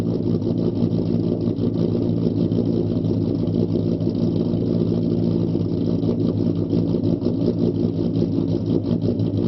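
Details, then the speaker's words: Ford Mustang 4.0 V6 with idle chop tune, idle raised from 675 to 725 rpm, startup test: steady low idle with a rhythmic uneven chop in the exhaust beat, the deliberate lope from the idle tune. "test number two the idle is now changed from 675 to 725 do a startup test and then we're gonna do a road test"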